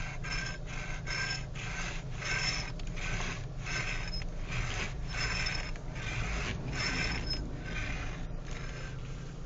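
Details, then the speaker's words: 2012 Renault Megane GT, 1,457 km, engine idling, air conditioning off: rhythmic rasping hiss swelling about every half second as the steering wheel turns; electric power steering noise when turning. "vocês podem ver, é um barulho que incomoda, mas que na presença do ar-condicionado"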